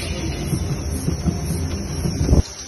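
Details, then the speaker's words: 12-year-old Proton Preve never serviced, shaken on a lift for checking: irregular dull low thumps and knocks from the suspension, from worn stabilizer links and joints; suspension clunk. "ha ini penuh geng bunyi suspension sistem link apa Sema deguk"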